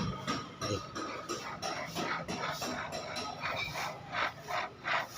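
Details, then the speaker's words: 2007 Suzuki Swift electric power steering, column opened, motor checked good: irregular dry rasping and creaking bursts about three a second as the column is worked, from the worn bearing under the torque sensor. "तरह आवाज आ रही है देखि य top sensor इसके नीचे bearing आथ है यह मोटर के अंदर भी बेरिंग आथ है"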